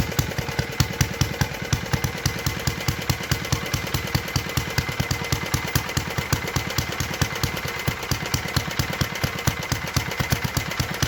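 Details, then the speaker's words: 1952 Clinton VS-700 push mower engine, revived after cleaning points, carburetor and a clogged fuel line, wheels and handle fitted; crisp evenly spaced firing at steady speed, no skips or hunting, running well at idle after tuning down. "anyway as you can tell she was pretty good at idle [Music] get hair going no this hurts pretty good at idle that's pretty good too"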